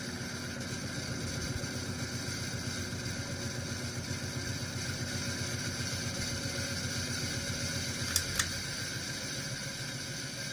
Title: Example of bad bearings